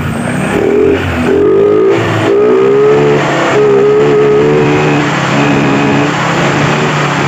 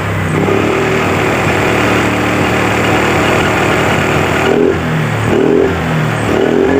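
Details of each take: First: Honda Vario 125 scooter, after repairing the broken speed sensor wiring at the final-drive gear: the engine pulls cleanly up through the revs with a smooth rising note and no stumble or bog at high rpm; normal high-rpm acceleration. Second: Honda Vario 125 scooter before repair, brake held and throttle opened to high rpm: steady drone, then revs sag and waver with no power at the top, injection warning light on. Cause: broken speed sensor (speedometer) wiring, with no speedometer needle reading.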